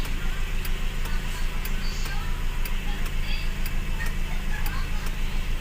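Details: Toyota Vios after throttle body cleaning for too-low idle and stalling, aircon off: steady, even low idle with a light regular ticking about three times a second; settled normal idle around 800–900 rpm.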